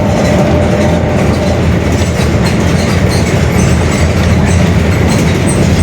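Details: Bus Mascarello GranVia Midi 2014 body, Mercedes-Benz OF-1721 Bluetec 5 chassis, built 2021, urban service: steady low droning growl under road and rattle noise at cruise, little change: growling differential.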